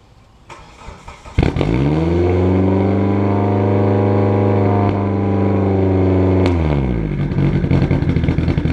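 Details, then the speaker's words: Turbocharged race car project engine recorded at the exhaust: catches and hangs at a high idle around 3,000 rpm, then pops and backfires as revs fall after letting off; idle too high. Cause unconfirmed. "that was when the RPMs were coming down too after I let off cuz that was idling at 3,000 and then that is not good"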